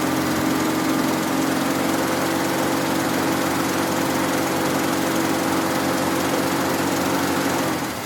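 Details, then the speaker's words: 1965 Ford Mustang 260 V8 at its first start after a new distributor, timing set close to where it was before: it runs with a hurried, harsh, uneven beat, then drops away; ignition timing is too far advanced. "So it runs. I can tell the timing is very advanced, that's why it's running like that, but that's"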